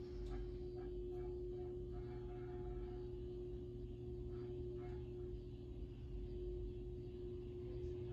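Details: 1916 Century closed-top antique ceiling fan after bearing work and added lights, running on low: smooth, steady hum with one even tone, no ticking or scraping; running quietly and evenly.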